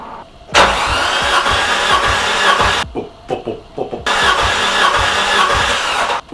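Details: Nissan S13 200SX CA18DET with suspected blown head gasket, cranking with the plug in: two bursts with a steady even pulsing rhythm showing good compression on cylinder 3, unlike the weak cylinder 4.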